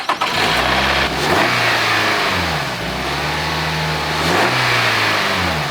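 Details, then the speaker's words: Nissan Rogue, cold start the next morning: engine catches and settles toward idle with a dry metallic timing chain rattle for a few seconds, blamed on a tensioner that doesn't push out fast enough; only occurs when cold. "okay hear that the dunker the dunker that's the timing chain and actually it's not that bad it's just starting up"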